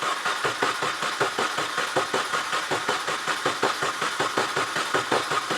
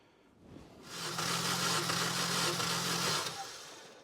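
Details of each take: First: 2004 Mini Cooper S near 200,000 miles, start attempt after repair with a low battery: steady starter cranking, about five even compressions a second, that never catches and drops off; no spark because the ignition coils were left unplugged. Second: 2004 Mini Cooper S near 200,000 miles, cranked during a compression test about six rotations per cylinder: an even, steady starter whir with a low cranking pulse for about three seconds; regular, healthy cranking, cylinders reading about 125.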